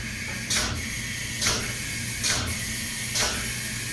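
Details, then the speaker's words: Python XL DA25 pneumatic plunger chemical injection pump priming itself after a dry run: sharp air exhaust puffs about once a second over a steady hiss as fluid returns and it resumes its normal cycle. "You can start to hear the change in sound, and you notice it's solid blue in the hose. And now it's going to start resuming its normal cycle."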